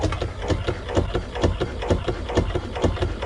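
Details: Dometic VacuFlush toilet pump on a Sea Ray boat's aft head, tested after replacing the duckbill valves: steady, even rhythmic thumping about twice a second as it builds vacuum normally.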